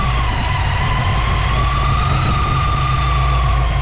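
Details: Ford Fox body V8 with blower carburetor after power valve conversion; strong even idle with steady blower whine, no misses or knocks; settles cleanly and sounds healthy.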